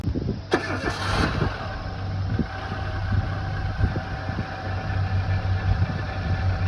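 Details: Renault Dokker engine after overhaul at 42,000 km: quick crank, catches cleanly, then settles into an even, steady low idle with no knocks or misses; engine runs healthy.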